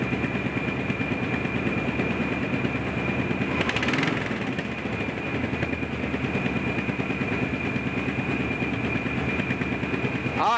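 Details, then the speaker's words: 1986 Chevy K10 Silverado squarebody V8 being revved: uneven sharp pops about three per second over the engine; exhaust popping, owner suspects leaking exhaust manifold gaskets. "you can hear that popping and that's probably those uh exhaust manifold gaskets"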